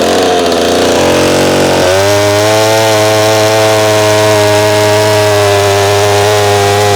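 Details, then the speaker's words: McCulloch SP-125 chainsaw jetted two sizes down to .028, full fuel, in the cut: high, thin steady scream, no burble; possibly a tad lean, owner unsure if it's warming and vapor locking; plans .029 jet. "We could hear it leaning out on the cut, too. So, I don't know if it was getting warm and vapor locking."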